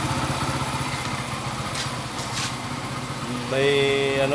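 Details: Small Yamaha single-cylinder engine after cleaning its rusty, clogged carburetor jets with wire and removing water: chugs along at a steady even beat, no stumbling or popping; normal running.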